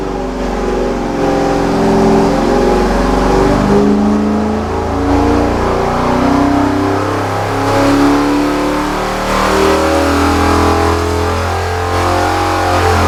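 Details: 1970 GTX 440 V8 on the dyno before rebuild, fully warmed, full-throttle pull: loud steady roar, even firing, no knocks, misses or rattles; 390.5 hp at 5,000 rpm, peak torque 484.4 at 3,300 rpm; healthy.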